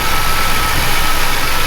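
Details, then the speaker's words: Chevy truck V8 after valve adjustment, warm, timing possibly slightly off: fast even idle with steady airy hiss from many vacuum leaks, source unknown, suspected cause of the high idle. "there are you hear the leaks there's so many vacuum leaks in here that I think that's why I'm idling high"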